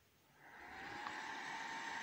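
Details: Acer 4738 laptop fan after replacing a degraded R110 resistor that caused power-on shutdown: soft whir rises over about a second then holds an even airy hum; fan spins up and runs normally.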